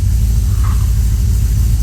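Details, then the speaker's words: Ford ZH Fairlane 302 V8 after complete rebuild, cold start, only about half an hour of running so far, before Holley Sniper fitment and tailpipes off: deep, steady rumble with even lope, no ticking or knocking; normal idle. "I'm bloody impressed with this thing. Oh, it's got a nice rumble to it."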